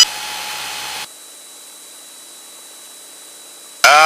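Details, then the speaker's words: Light aircraft in slow flight near stall, heavy right rudder: steady piercing stall warning horn for about three seconds over cabin noise, aircraft at the edge of stalling. "there's south that stall warning horn is what we want because it means we're right on the precipice of stalling"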